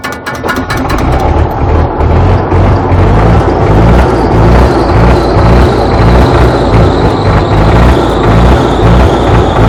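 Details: Belarus MTZ tractor diesel, cold start at -14 degrees after sitting 2 weeks: brief rough turnover, then catches and settles into heavy, slightly uneven chug in the frost; hard cold start.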